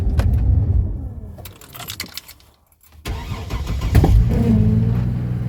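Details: Chevy Blazer in freezing snow after sitting about a month, batteries still good: cranking falters and goes quiet, then a second crank catches and settles into a steady even idle; a clean cold start.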